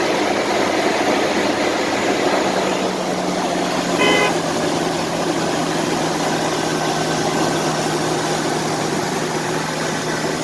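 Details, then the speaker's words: 1999 Toyota 4Runner 3.4L V6 idling after replacing shredded power steering, A/C and alternator belts; steady even idle hum with no belt chirp or squeal over outdoor noise and a brief horn toot, belts running smooth. "brand new belts running smooth as ever no more squeaks no more squeals"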